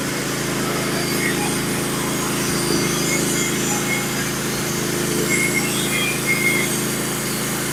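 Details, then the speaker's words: Norwood HD36v2 bandsaw mill, first cuts with new sharpened Stellicut band and new roller guides on Red Oak; steady engine drone and even band hiss, no chatter or labouring; smooth cut, slightly less effortless than Turbo 7 bands. "so my overall first impression of the band is that it seemed to cut pretty flawlessly uh I would say that it's not um as it didn't go through that as effortly effortlessly as my Turbo 7s do but seem to cut pretty well"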